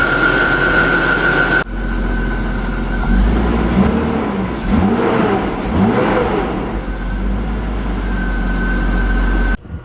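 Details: BMW E36 AC Schnitzer convertible, started after repair in a parkade, clogged air filter noted; smooth even idle with steady hum, no knocks, ticks or belt squeal; normal idle.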